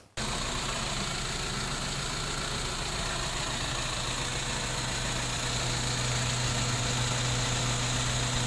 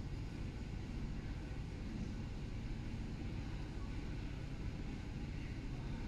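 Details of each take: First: BMW E90 320i N46 petrol at idle in the workshop, codes P0300, P0301 cylinder 1 misfire and P0134 O2 sensor. Uneven lumpy idle from a single-cylinder misfire; also hesitates accelerating from standstill. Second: BMW E90 320i N46 on final road test after the repair of rough idle, hesitation and misfire codes P0300/P0301/P0134. Steady low engine drone under road noise, pulling evenly with no stumble; engine light off, performance restored; normal running.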